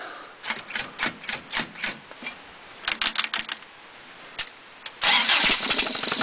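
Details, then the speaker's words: 1986 Toyota 22R carbureted four-cylinder, sat two days in cold and rain, driving a water pump by belt with new open dual exhaust: brief uneven cranking, then catches quickly into an even idle; healthy cold start (owner suspects head gasket, water in oil). "that's that's a great running little motor to just be sitting for two days in the cold and rain fired up for two minutes and shut it off and hit the key and she fires right back up"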